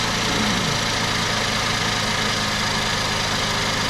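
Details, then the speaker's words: 2008 Ford Edge 3.5L Duratec V6 first start after water pump, timing chain set and thermostat replacement, fresh oil; smooth steady idle with even hum, no knocking or ticking; normal idle. "Yeah. Sounds like good. It's always a good thing after you do a major repair like that actually run."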